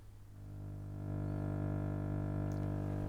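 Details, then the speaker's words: KRC-86B V4.0 stereo Bluetooth receiver board installed in a tube radio and powered from the heater supply: a steady low buzz with a deep hum at maximum volume, only at very high volumes. It stops when the board is removed and gets worse when pairing. "there is however one other problem and that is that this thing creates a buzz you can hear it there now now I have the volume on Max so it only happens at very high volumes"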